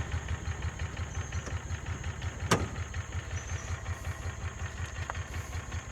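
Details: Kawasaki Mule 3010 side-by-side, run after fuel pump diagnosis and repair, with the dash still off and after not running for a long time: a small engine idles with a steady, even low putter and one brief click. Normal, healthy idle.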